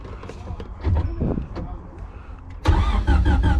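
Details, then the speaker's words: Junkyard-assembled LS engine with VTEC head and temporary injectors, hardwired for push start, cranked to prime oil: starter spins the engine in an even beat, about four pulses a second, but it never fires; no power to the fuel pump. "No fuel pump. Let me check that one more time. Nope, no fuel pump."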